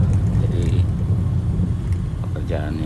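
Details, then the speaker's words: Peugeot 206 cornering after replacing failed left CV joint with a used part: only steady low road rumble, no rhythmic clicking; CV joint noise gone, previous right-side ball joint knock also gone. "Oke, sudah nggak bunyi ya, belok juga nggak bunyi, sudah oke."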